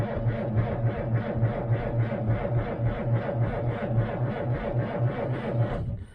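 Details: 1947 Dodge with a 6-volt system and mechanical fuel pump, sat three to four months in cold weather, choke pulled: slow, steady starter churn of about three and a half turns a second, no firing; cranks but won't start. Cause suspected, not confirmed.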